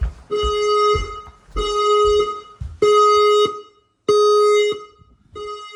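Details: Newly installed F220 house fire alarm system, set off by a smoke test on a detector. Clear two-pitch electronic tone in about one-second bursts with short gaps, repeating evenly. Sounder working properly.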